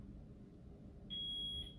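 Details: Smoke alarm indoors in a craft studio during a live craft session gives a single high chirp about half a second long over a quiet room, sounding intermittently; something is wrong with the alarm, cause unknown.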